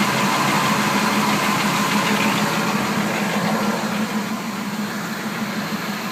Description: Engine ticking sound coming from the bottom of the engine all spark plugs are good new flywheel installed with hardware thinking it's possibly a broken lifter